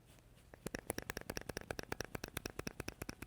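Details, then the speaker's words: GM Active Fuel Management lifter removed from engine, shaken by microphone: rapid loose clacking about ten per second from internal play; defective AFM lifter, eight of which were loud while running. "You hear that? It's just sloppy in there. Something's Something's defective or"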